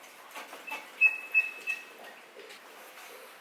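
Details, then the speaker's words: Mercedes G63: short, high rubbery squeaks as the hood is rocked, from under the hood; the noise is still there after the first electrical-tape fix attempt. "still making a noise that fix should have worked and it didn't"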